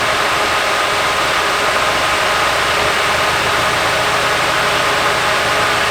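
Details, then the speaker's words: Nissan 240SX S14 Kouki SR20DET with a coil pack unplugged, little change: uneven stumbling loping idle with hissy background; misfire traced to a faulty fuel injector. "It didn't make a big difference. It's still pretty bad right now, but"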